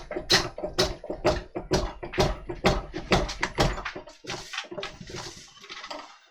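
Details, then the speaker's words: Woodturning lathe spinning a large, heavy, out-of-balance freshly cut walnut log: heavy clunking about twice a second, in time with rotation; number 10 faceplate screws pulled out of the wood and ragged the holes, loose faceplate mount. "right screws have come loose in the face plate which is a bit of a sod so i can tighten them up in fact the screws had pulled right out of the wood and had ragged out the holes"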